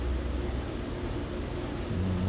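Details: ICP Comfortmaker outdoor unit with insulated compressor jacket, running after variable-speed furnace blower motor replacement, mic right beside it: steady low hum with even fan whoosh, no rattles, grinding or squeals; running quietly and normally.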